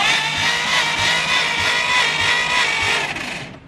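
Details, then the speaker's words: Abandoned 1950 Dodge Pilothouse truck, flathead six, sitting unknown years: cranks unevenly about three beats a second and never catches; weak compression, perhaps only one cylinder with compression; spark to be checked. "that definitely does not sound like there's a lot of compression happening"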